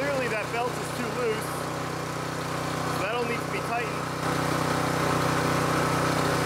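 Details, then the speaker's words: Harbor Freight Predator 224cc 6.6 hp gas engine belt-driving a 12V car alternator on first test run: steady fast idle with short rising chirps from the slack belt slipping; the belt needs more tension. "the bad news is there's definitely way too much slack in this belt"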